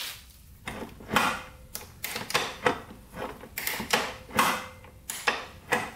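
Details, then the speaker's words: 1996 Suzuki RM125 dirt bike being kicked over without firing: a dull clack and knock about every half second, suspected crank. The bike reportedly made a big pop while riding, shut off and wouldn't restart. "Hear that knocking? That's not good. Almost sounds like crank. That is not good at all."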